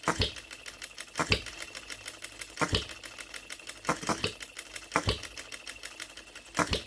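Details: Brand-new OKMO Retrol B02 miniature petrol hit-and-miss engine on its first start, unadjusted out of the box, running on 25:1 shellite: sharp pops every one to two seconds, light mechanical ticking while coasting. Normal hit-and-miss running.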